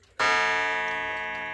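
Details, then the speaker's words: Vintage Centurion 35 Day wall clock (bought 1976), after repair; one clean half-hour strike fading slowly and evenly, no buzz or double hit; normal passive half-hour strike. "It's working fine. I'm gonna turn the chime on so you can hear it. Passive half-hour striking."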